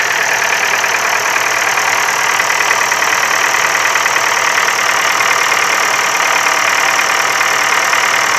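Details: Ford Focus 3, 1.6 L 125 hp petrol engine at steady idle carrying a fast, fairly even metallic tapping of about three per second up top; engine knock, cause unknown.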